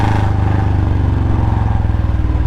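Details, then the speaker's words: Royal Enfield Bullet Standard 350 single-cylinder, after a new packing gasket: deep, even thump at steady revs with no puffing or ticking at the header. Normal exhaust note. "मुझे अब आवाज इसकी बहुत ज्यादा प्यारी लग रही है यार क्योंकि अब लग रहा है भाई पूरा का पूरा नया बुलेट लेक आ गया हूं थोड़ी भी लीक नहीं है"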